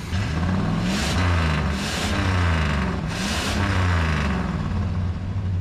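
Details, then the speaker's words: 1976 GMC Sierra Classic V8 with carburetor, sat abandoned, warm with oil pressure: deep rumble rising and falling cleanly through several throttle blips, no knocks or misses; normal revving. "this damn truck sounds like uh every truck where they say uh they'll put $100 bill on the dash and if you can grab it it's yours that's what this baby sounds like"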